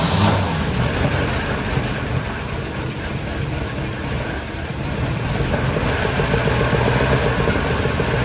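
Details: Small block in 1972 Chevy C10 just rescued, first start attempts, weak starter and fuel delivery in question: catches and keeps running with uneven, lumpy, stumbling beat; runs but not happy; rough running, cause unconfirmed.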